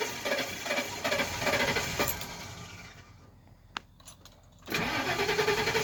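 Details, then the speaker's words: 2004 E350 gasoline bus, not run for a while, prone to hard starts: long uneven cranking that fades, a pause, then more cranking before it catches and settles into a rough idle; hard start. "This gas bus always has hard starts. It's been a while since it was running, but let's see how she does."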